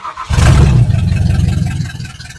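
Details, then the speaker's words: 1970 Ford Falcon with 5.0 small-block V8 after carb rebuild, choke disconnected: fires and runs unevenly for about two seconds, then dies; fuel not getting through, carb not holding gas, rebuild error suspected. "I'm running out of fuel so something's not working [Applause] [Laughter] or something Pump It Up and prime it just wants to die so I messed something up on that card rebuild"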